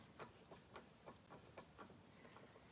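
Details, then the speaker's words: Volvo 122S gearbox on the bench after rebuild with new synchro ring and springs, no fluid, turned by hand: sharp irregular clicks in all gears; abnormal noise of unknown cause, suspected just slap from lacking fluid. "I don't like that sound uh then again we're just working on the raw transmission here"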